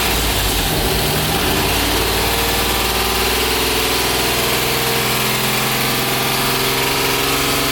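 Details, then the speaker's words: LS V8 swapped Nissan 350Z, first start, speed density with VATS deleted: steady, slightly fast idle with even rumble and a constant airy hiss; small vacuum leak from a makeshift intake plate, engine otherwise doesn't sound bad. "well boys she runs it still had a little bit of a vacuum leak from my makeshift platon that I put on there but it starts it runs it doesn't sound bad"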